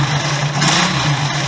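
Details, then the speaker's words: Honda CB125S single-cylinder idling on the old exhaust, silencer stuffed with glass-fibre insulation: loose tinny rattle and clunk over the exhaust beat that gets louder as it heats up; the baffles inside the silencer have come loose. "Hear the baffles are loose, and when you're riding you can hear that clunking, and as it gets hotter it gets louder."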